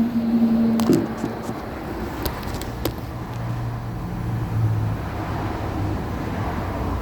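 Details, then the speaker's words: Truck with engine off sitting still: a few sharp metallic clicks and snaps at uneven intervals; exhaust system expanding and contracting as it cools, movement not enough to cause an exhaust leak. "so why does your exhaust make that type of noise it's the cooling of the expansion and contraction of your exhaust system that means something's moving but not enough to cause an exhaust lead"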